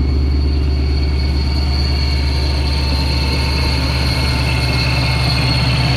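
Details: 2019 Ford Mustang Bullitt V8 with Vortech V-3 Si supercharger, fairly cold start idling slightly high, mic at rear: steady high supercharger gear whine over deep even V8 idle and exhaust; normal supercharger gear whine.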